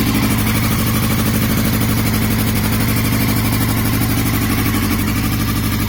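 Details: 2002 Yamaha YZF-R6, 28,000 miles, idling: uneven stumbling pulse, misfire; cause of engine/ignition issue unknown.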